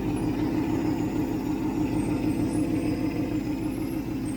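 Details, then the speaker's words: 1967 Ford Mustang 390 V8 after rebuild, heard at the tailpipe: steady, even burble with regular low pulse, no miss or knock, no smoke; excellent idle, accelerator pump may need adjustment. "That is excellent. Absolutely excellent."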